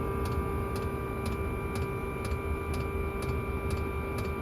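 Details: Chinese diesel air heater set to full: crisp, even ticks about twice a second over a steady fan hum; the fuel dosing pump clicking normally.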